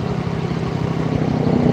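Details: Honda Vario scooter (connecting rod replaced, weights not; earlier five piston replacements, radiator leak) idling after rebuild: steady, even low putter with no knocks or rattles, rising slightly in loudness; normal smooth idle.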